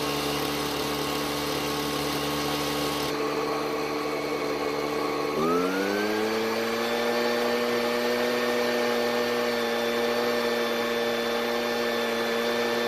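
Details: Ryobi backpack two-stroke blower on fresh premix, warmed up: rough, uneven buzz, pitch climbs but falls short of full speed; running lean.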